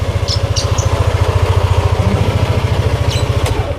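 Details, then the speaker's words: Used automatic scooter, engine warmed up, idle smoothness check: even, steady low putter at about three pulses a second with no knocks or rattles; a normal, smooth idle. "Kalau ini sih kalau lu mau cek halus bro, dengerin suaranya. Halus"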